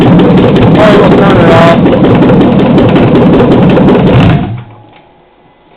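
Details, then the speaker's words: 2007 Chevy Silverado 5.3L LH6 aluminum-block AFM/DOD V8 on an engine stand, idling around 644 rpm: loud rough running with a regular tap about three times a second, then shut-off; owner suspects a lifter tick, unconfirmed. "got some kind of tick I would say lifter tick probably pretty sure"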